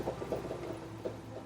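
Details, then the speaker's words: 1960 VW Beetle convertible, air-cooled flat-four, freshly started and needing engine work. It idles with light, uneven metallic clinks over the chuff. Clinking noise at idle, cause not yet found; the engine is also leaking. "so she runs doesn't sound too good i do have to see what's going on with her but you hear the clinging"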